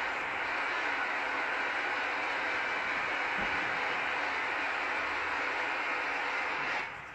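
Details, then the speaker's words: Ultrasound valve check on a leaking-radiator demo: steady rushing hiss of flow through the open valve, dropping sharply near the end as the valve is closed. "en tout cas on peut faire beaucoup de démonstrations ultrasonores et voici un petit peu un contrôle de vannes en ultrasons"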